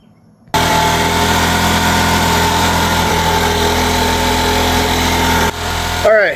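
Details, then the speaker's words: MVP 49cc Chinese two-stroke scooter with new carburetor fitted with the electric choke from an old carb: settles into a steady, even idle on its own, slightly high but clean; it now starts and runs. "It's just sitting here on its own running. I took the electric choke off one of the old carburetors, put it on the new carburetor. She seems to work."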